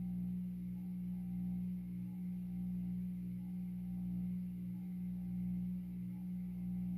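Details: 52-inch Supreme Fan Mark III ceiling fan on low speed: steady deep electrical hum with faint slow pulse, very noisy; owner suspects a bad variable speed controller causing it — loud motor hum on low speed.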